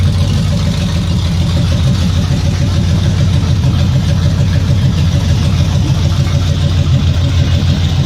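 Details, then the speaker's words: Removed 454 big-block (7.4L) V8 from a 1974 Nova, over 37,000 miles, running on a stand: deep, even burble with clean throttle blips, no misses or stumbles; healthy, nothing wrong. "beautiful see it doesn't stutter or anything"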